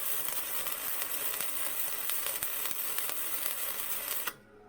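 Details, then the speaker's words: Even, continuous flux core welding arc crackle with fine pops for about four seconds, then a clean stop; Vevor MIG 130 running 0.8 mm flux core wire at a nice smooth setting around 35, a well-set arc. "that felt really really good I think that's a really a really good setting for that"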